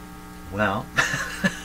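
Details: 1940s Canadian Red Cross five-tube radio, odd resistor removed, supply only about 67 V and drawing heavy current: steady low hum under chuckling; cause not yet found.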